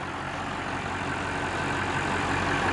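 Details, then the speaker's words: 2003 GMC Topkick rollback diesel, dirty and sitting for a long time, just started: steady, even idle with a soft low rumble and no knocks or misses; a quiet, healthy engine that runs really well. "And that's about as quiet of a diesel as I've ever heard. Runs really good, really quiet."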